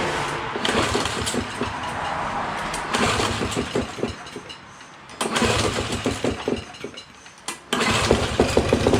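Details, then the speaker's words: Free old Honda 18-inch plastic-deck push mower, given away with suspected carb problems, fired on ether: rough, uneven bursts with a loose clattering knock; the whole engine is loose on its mounts, causing the knocking. "all right so it does fire up and i notice that the whole entire engine is loose i don't know if you can see that in there that's why it's making the knocking sound"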